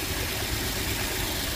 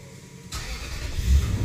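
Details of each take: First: 2005 Toyota Tundra 4.7L V8 4x4 idling unevenly with a lumpy, stumbling low pulse; codes P0351, P0354, P0356, P0357 (coils 1, 4, 6, 7), check engine light on, cylinder one showing misfire counts, misfire from failed ignition coils. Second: 2005 Toyota Tundra 4.7L V8 4x4 after repair of rough running with coil codes P0351, P0354, P0356, P0357: short crank fires, briefly flares, settles into smooth steady idle without stumble; normal start and idle.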